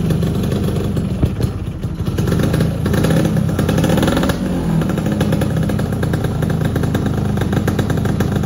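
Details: Yamaha F1ZR two-stroke motorcycle started for a test after an engine block teardown and reassembly, dusty carburettor: crisp two-stroke buzz holds steady and swells as the throttle opens, no knocks or clatter; engine runs healthy.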